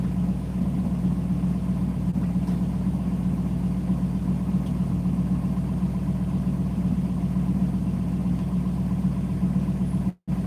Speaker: Let me just rev it a couple times here. Nothing too crazy because we warmed it up properly.